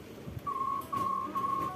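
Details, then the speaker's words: Yamaha Fazzio scooter, remote connects but pressing the starter gives no crank, only a thin high-pitched tone chirping about four times; owner suspected the battery, and it measured only 10.85 V, a weak battery causing the no-start. "suarane kayak gitu saya curiga di akinya koyok isi akinya nanti kita periksa ya"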